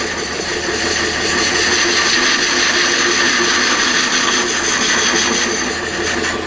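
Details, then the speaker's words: Homemade captive hollowing tool rest on a wood lathe, cutter tip adjusted, waxed steel rail: steady shaving hiss, slow cut with easy pressure removing a lot of material, no chatter or thumping; smooth, near vibration-free cut. "Now you can hear that cut. Nice and smooth. We're going slow with easy pressure."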